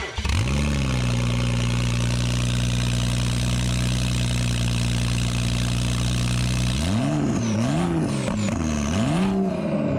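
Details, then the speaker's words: Rebuilt 2011 BMW 335xi N55 started on the lift with no exhaust fitted: a loud, raw, even idle, then quick revs, with a thin turbo whistle that climbs and falls with each blip. It sounds healthy. "it sounds super nice dude you hear the uh turbo whistle"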